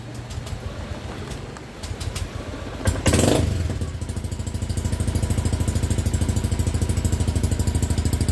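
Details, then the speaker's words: Honda Beat FI 110cc scooter after an engine overhaul that fixed a knocking sound, exhaust covered to hear the engine: starts and settles to an even idle of about three firing beats a second, no knocking or ticking; normal. "so ito na mga boss. Ito na yung tunog ng makina. Takpan ko na yung tambucho para marinig nyo maigi."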